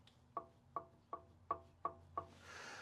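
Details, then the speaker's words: Turbocharger from a high-hours International bus diesel engine, shaft rocked by hand; six sharp clicks about three per second from shaft play going in and out: worn turbo bearings, turbo needs replacing. "When you can hear that play going in and out, that's usually a sign that turbo's on its way out."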